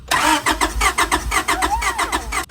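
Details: Honda Prelude H22 off the road 16 years, cranked while checking spark with a plug held out: steady cranking about five compression pulses a second, never catches; cranks but won't fire.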